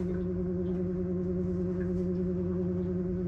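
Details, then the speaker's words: Webasto Thermo Pro 90 diesel heater on a Garcia Exploration 45 yacht firing up and beginning to pump liquid around the boat: a steady low hum with soft gurgles and burbles; normal startup noise. "these are the sorts of noises it makes just gurgles and burbles away for a little while"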